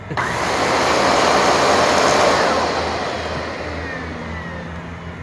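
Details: Curb-found Dyson DC41 Animal, motorized brushroll head: motor spins up to loud rushing whirr with rough uneven churn; cracked brushroll with broken gear, damaged brushroll assembly.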